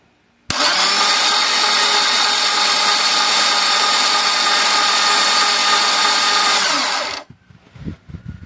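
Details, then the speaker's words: Rebuilt Porsche 911 engine on a stand, no ECU or harness, cranked on a high-torque starter for an oil pressure test: slow but even starter whine for about six seconds; oil light goes out immediately and pressure builds quickly, normal. "you can hear how quickly the start is turning over it's not very fast at all but it does build pressure fairly quickly"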